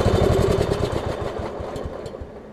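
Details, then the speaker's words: Craftsman LT1750 riding mower (Kohler engine), long-stored with mouse nest, air filter off and fuel line leaking; rough uneven popping that fades and won't rise with throttle, owner suspects the missing air filter. "Hey so yeah it uh I think cuz I we've got a fuel leak right here that's just a fuel line I'm not really concerned about that didn't want to throttle up also don't have the air filter on us that probably has something to do with"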